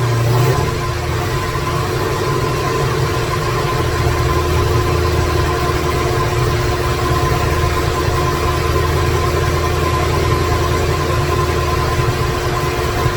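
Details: 2017 Corvette Z06 with Texas Speed 416ci stroker, Holley port injection, first fire-up with no tune, no coolant: lumpy uneven idle with wandering beat, fan noise underneath; rough idle from missing tune.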